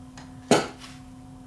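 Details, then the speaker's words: Leak Delta 75 receiver repaired (obsolete transistor substituted), speakers connected for a final test: steady low hum with one sharp pop, then hum again; normal discharge of the capacitor-coupled output. "yes that's normal because it is a capacitor uh output so there was a bit of a charge on the output speaker on the output terminals there"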